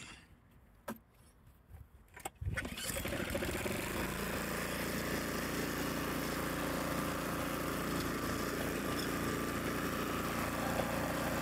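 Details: Craftsman or 2021 Troy-Bilt snowblower, repaired after not starting, warm after sitting 5–10 minutes: pulls over, fires and settles into a steady even small-engine drone with no misses or knocks; normal running.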